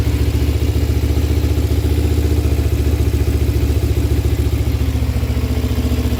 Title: Ninja 250 ticking sound?